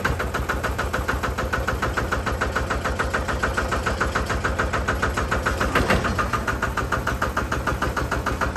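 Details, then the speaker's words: Single-cylinder Lister diesel on a Benford TS25 radial swing concrete buggy, recently repaired, fresh oil, low hours, new tires. Steady, even idle thump about three and a half beats a second, no misses or metallic knock; healthy. "I don't know if you've watched any of the videos, but it has a very unique sound. Let me show you the engine here. It's a single cylinder Lister diesel."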